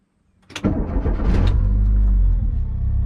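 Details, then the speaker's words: VW Vanagon with K24A engine conversion and three-speed automatic, already warm from driving: fuel pump primes, quick clean crank and catch, revs flare toward 2,000 rpm then settle to a smooth steady idle near 900 rpm; normal start. "it flares a little bit up toward 2,000 but it comes right back down we're sitting at about 900 RPM right about now"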